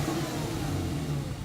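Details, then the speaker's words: Porsche 911 started with silencers removed after catalytic-to-header gasket replacement: short rev with loud, raw, booming exhaust note fading as revs drop; loud exhaust running without silencers. "So we're going to do that now. So go on, Paul, start it up."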